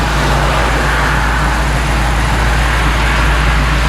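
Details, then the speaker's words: 1964 Chevy C10 with tired small-block 350, rams horn manifolds, new true dual exhaust with Thrush mufflers: deep even V8 rumble at idle, steady loping note, loud fuel pump audible, no ticks or knocks; normal idle. "wow that fuel pump's loud probably couldn't hear that over the exhaust before i'll let bill worry about that sounds pretty good"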